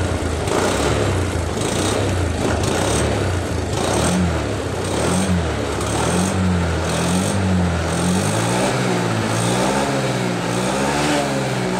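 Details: 2021 Honda Beat scooter after CVT rebuild with aftermarket parts for rough noise: idle then several smooth rev rises and falls, no grinding or rattle from belt drive; normal CVT.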